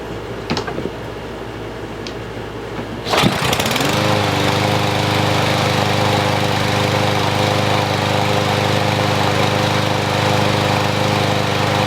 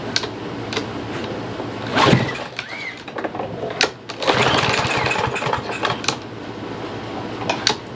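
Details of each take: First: Troy-Bilt TB110 push mower, 140cc engine, no choke, after fresh fuel: catches on a single pull, then steady even single-cylinder drone without misses or surging; starts and runs healthy. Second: Troy-Bilt TB110 push mower, 140cc engine, buried in leaves about a year: catches on sprayed starting fluid amid hiss and handling, chatters briefly, then dies; has spark, so carburetor is not delivering fuel.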